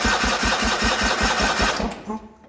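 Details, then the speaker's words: 1980 John Deere 317 garden tractor, not run in about three years, rebuilt carb, new battery: starter cranks evenly at about five compression beats per second for two seconds, never fires; won't start on gas, owner suspects no fuel reaching carb. "that's all we've got it will not start on gas I did rebuild the carb when I first got it and got it running but uh not yet so my guess is we probably just need to get fuel up to the carb and hopefully then it'll run"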